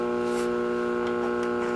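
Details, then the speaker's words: Late-1960s Rittenhouse RM20~RM22 radio intercom master station playing its radio: constant low mains hum with steady stacked tones under scratchy static; hum cause unconfirmed. "now you can actually hear the background hump even more and then this is your tone control"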